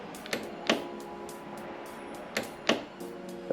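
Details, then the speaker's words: 1999 Yamaha Wave Runner GP760, 2-stroke 760cc jet ski, non-running: sharp isolated clicks each press of the start button with no cranking; starter motor thought to be under the exhaust. "makes a noise question is is it the starter motor making that noise where's it coming from I think I think the starter motor is down here underneath the exhaust"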